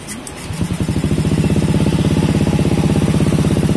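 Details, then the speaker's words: Honda Beat scooter that would not start, showing error code 52, with stator wiring being traced: a slow, weak putter at about three beats a second, idling too low and stalling. "baba ng Menor ha baba lang Min bigla nga namamatayan nung ano"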